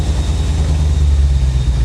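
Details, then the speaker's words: Chevrolet C4 Corvette V8, long stored in a Florida swamp, first drive: deep rumble that sounds smooth when revved but pulses and sags unevenly; engine stumble, cause undetermined. "when it revs up it actually sounds really good until it stumbles like this but right there that sounds smooth as silk like it's firing on all eight"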